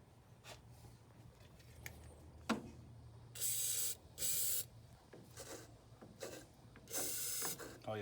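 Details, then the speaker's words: Truck PTO after input gear change and rebuild, snugged and shaft turned by hand; short dry rasping bursts easing as it turns; rough rasp owner attributes to dry bearings after being filthy, improving with turning. "a little noise in this that's okay that's probably because we had it filthy"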